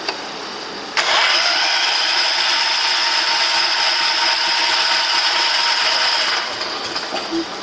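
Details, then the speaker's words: John Deere 210 lawn tractor, first start attempt in about a year after wiring harness and neutral start switch wire fix, choked: steady even cranking that never catches as fuel pumps through dry lines; extended cranking. "yeah what ahead it hasn't had gas to the grind before so it has to pump it is how it's going to take a little bit"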